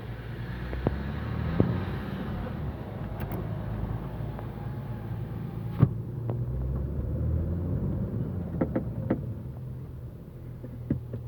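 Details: Audi A4 B7 3.0 TDI quattro, warmed up, with sharp irregular clunks and pops from the front end, louder at higher temperatures, on hard braking and slow reverse while steering right; cause unknown.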